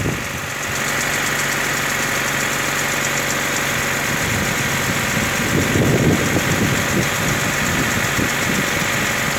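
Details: Honda D14A4 engine at cold idle: steady run with a loose, fairly regular knocking about four times a second; source and cause unknown.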